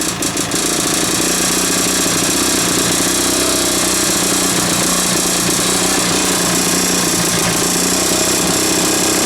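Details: 1980s Mountfield AV85S two-stroke lawn mower, first start, deliberately run rich; harsh busy fast running with uneven rattling knock; engine knock, owner fears terminal damage, possibly crank bearings, unconfirmed.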